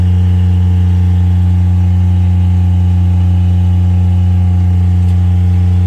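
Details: Miller Bobcat 200 Air Pak diesel welder/compressor first start after repairing compressor locked by rust and water from faulty intake valve; steady even diesel drone, smooth low beat, no knocks or misses; normal diesel idle.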